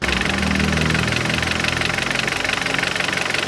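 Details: 2014 Kia Cerato petrol engine at idle, owned about two years: fast, fairly regular knocking or tapping over the running sound; owner unsure of cause, engine knock at idle.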